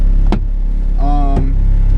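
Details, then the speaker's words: B20-swapped Acura Integra, gutted interior, stiff coilovers, no power steering, driving: deep steady engine drone with sharp loose knocks over it; owner attributes the rattle to bushings and the gutted car, not the engine. "You see, you can hear the rattling and stuff. It's because the bushings and it being gutted and all."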